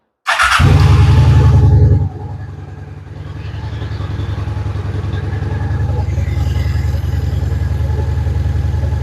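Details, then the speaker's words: Honda Shadow Spirit VT750 V-twin fitted with aftermarket Chinese carburetors, idle raised after it was set too low, restart after fitting a fuel hose clamp: brief loud blip, then an even deep thump about three beats a second; healthy normal idle. "Well, guys, cuz I would say it sounds pretty fantastic."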